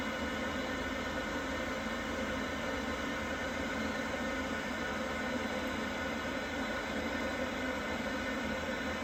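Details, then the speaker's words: Worcester Bosch 30i gas boiler, about five years old, firing normally with steady even whoosh and hum and no banging, after refitting the missing rear air intake silencer that caused the loud banging. "Right, with that all back in, all seems to sound fine now."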